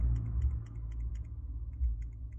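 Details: Samsung S22 Ultra 10x zoom camera module, faulty unit shaken by hand: light quick ticking clicks about four a second with each small shake; loose camera module rattling; new module nearly silent.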